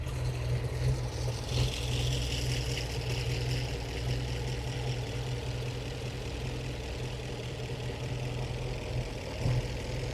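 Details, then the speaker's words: 1915 Scripps-Booth Vitesse overhead-valve V8, about 100 miles on the rebuilt engine, after tuning the Zenith carb idle mixture with a CO meter: a slow, even, lower idle with a light tick from the external pushrods, smooth and refined; normal idle. "here the nice lower idle speed now it is a lot lower yep it is a lot low that that's a really nice idle for this old of a race car and if I give it a little gas sounds great it's just more refined now it is it's very smooth"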